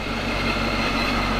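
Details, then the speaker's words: 2017 50th Anniversary 6th-gen Camaro with LT1 V8 and Procharger, cold start after new spark plugs: a deep, steady rumble with a smooth, even pulse and no stumble or shake. Earlier sputtering and shaking are gone; normal idle. "that sounds so much better believe it or not before i mean it was just sputtering and shaking we got idols already calmed down right where it needs to be"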